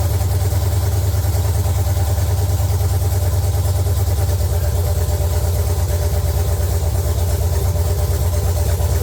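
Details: LQ9 V8 swapped into a BMW E36, fired up again after the build, open headers, no coolant yet: loud, deep idle with crisp, even exhaust pulses; steady and smooth, no knocks or misses.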